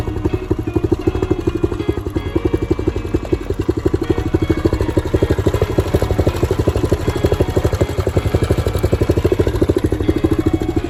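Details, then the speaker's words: 2014 Honda CRF125F single after cam chain timing was corrected, fast beat with a loose metallic rattle over the top end at every speed; cam chain very loose, smoking badly, needs a top-end rebuild. "so now it runs great revs up like it should but it's going to need a full top hit rebuild it's smoking pretty bad and the cam chain is super loose"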